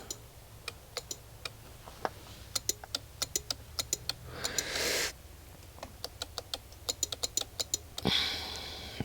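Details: 2021 Honda Forza 125, 35,000 miles: sharp uneven clicking from the battery area with no cranking whirr, 12 volts present on a lead; starter not turning, cause not yet found.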